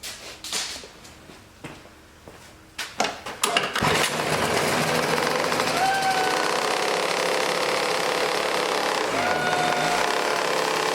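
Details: 1980s Toro two-stroke snowblower after priming, choke left on long: a few sputtering catches then a steady, even buzz with no stumbling; running normally.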